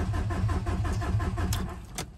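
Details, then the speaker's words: Audi A4 converted from 2.0 TFSI to ALH 1.9 TDI diesel, first key start without glow plugs; steady starter churn about six beats a second, never catches, extended cranking with no start before fuel was primed. "so this is a no glow plug start so it probably crank for a bit but let's see what happens"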